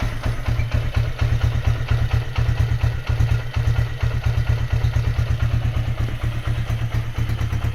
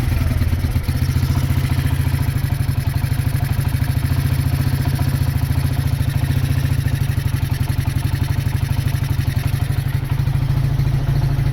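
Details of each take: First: Honda GL100 after rebuild to about 160 cc with Megapro piston, gear changed 40 to 36: steady, even single-cylinder thump at idle with a light exhaust note from a very light exhaust; sounds healthy after the rebuild. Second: Honda GL100 CDI before rebuild, low compression, weak power, erratic carburetor, smoking: steady single-cylinder thump at idle with loose metallic clatter over it; the loudest noise is the clutch, which judders on take-off.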